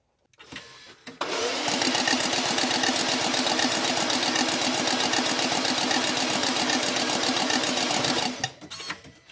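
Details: 2020 BMW X5 no-start, cranked with spark plugs removed and a freshly charged battery: quick, even cranking whirr at about four beats a second, no compression thumps; starter motor dragging internally.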